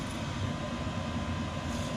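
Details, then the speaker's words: 5kW Chinese diesel air heater in a bus conversion after about 20 minutes of running on first use, with fan, fuel pump and intake/exhaust fans active. Steady even roar, no pulsing or surging; running normally. "shows the fan running the fuel pumps on and the glow plugs are running if that's what that means and intake and exhaust is Fanning that's pretty nice"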